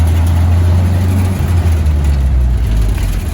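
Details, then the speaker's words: 1965 International Scout 80, running again after about ten years sitting, on a road test with a steady engine drone and a brief rev dip on a clean gear change; the engine runs well, though third gear synchros grind. "i'll uh see if i can film and ship gears a little bit so that anybody that does want to buy this drivetrain can reference this video that hey the engine runs good scout goes down the street"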